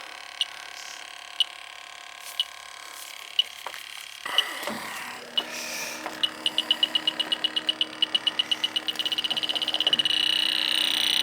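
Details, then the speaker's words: 2010 York AC system flat of refrigerant: the sniffer's sparse beeps quicken to about four a second, then a continuous shriek at the indoor coil's distributor tubes. There were no hits outside, so the leak is likely at the three-ton indoor coil. "definitely going off right there with the distributor tubes are you heard that right it's definitely going off right"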